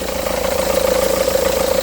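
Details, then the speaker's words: 2009 Seat Leon engine running: steady fast pulsing warble from the accessory drive, A/C compressor pulley wobbling because its thread is stripped and won't tighten; belt is new. "looks like the trade is gone one cuz it's not tightening it's not tightening so that's why it was wobbling I can see a wobble"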